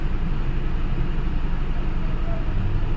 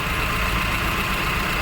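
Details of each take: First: Honda Civic petrol idling with deep, uneven rumble, lumpy beat about four pulses a second, heavy whole-car vibration and check engine light; one-cylinder misfire, codes P0352/P0135, pickup drop and stalling over speed breakers. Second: Honda Civic petrol engine idling steadily and evenly with no stumble or knocking after replacing the second ignition coil, which cured the misfire and vibration (DTC P0352/P0135) that had made it shake and stall over speed breakers.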